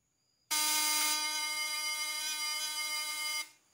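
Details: Breaker-points vibrator buzz test with a new condenser: a strong, steady high buzz holds evenly for about three seconds with no stutter, so the condenser is good.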